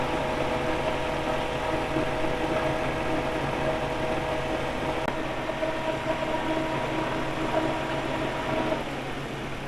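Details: Car's extra radiator fan after its rusted, dragging bushing was greased: steady electric hum of even pitch with the engine idling, earlier creaking gone; normal fan operation after repair.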